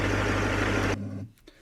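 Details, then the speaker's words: 2006 Duramax diesel after replacing three idler/tensioner pulleys and belt, fan off: smooth steady idle with no whir, whine or chirp from the belt drive before shutdown; normal idle after repair. "but you got the 3 new pulleys as well as the new belt, which you may as well do while you're in here. There's no noise."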